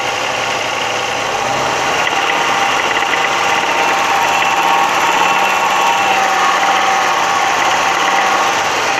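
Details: Audi 100 2.3 (NF engine): engine held high and steady with a faint, uneven tapping over the drone; knock appears around 3000 rpm and above, heard more clearly under load.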